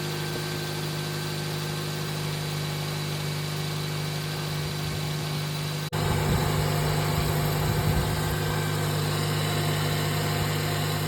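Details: Toyota Yaris SR 1.3 idling steady and even after alternator and drive belt replacement, smooth low hum with no belt squeal or chirp; battery light off, healthy running.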